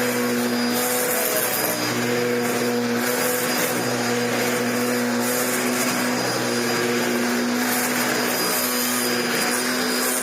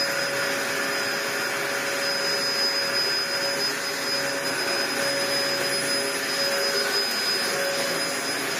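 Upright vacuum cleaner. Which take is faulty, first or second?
first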